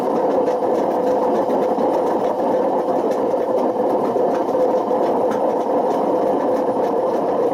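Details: Washing machine spinning with a loud, steady rumbling roar that never smooths out; badly worn drum bearings, so bad they damaged the spider and excessively wore the motor.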